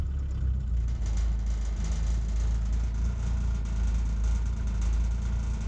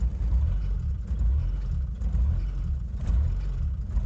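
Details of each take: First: Old mechanical-pump diesel truck running on sunflower cooking oil, warmed up after three to four minutes, at tick over: deep even rumble, no misses or knocks; still hunts slightly but much smoother. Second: Old indirect-injection diesel truck with a mechanical pump, running on sunflower oil after the glow plugs stop cycling: a deep rumble surges and sags about once a second without throttle. Rough, unhappy running on vegetable oil.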